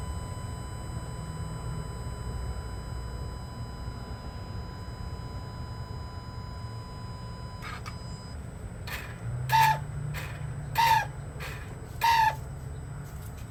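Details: 2020 vehicle that often makes this noise, which the dealer dismissed: three short chirping squawks about 1.3 seconds apart over a quiet, steady background; recurring chirp with unknown cause.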